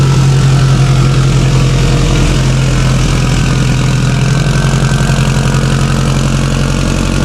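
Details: Subaru STI (1100+ whp build) fitted with a stock OEM EJ257 longblock, fully warmed up after a hard cold start; steady, even idle with deep uniform pulse, no knocks or ticks; normal warm idle.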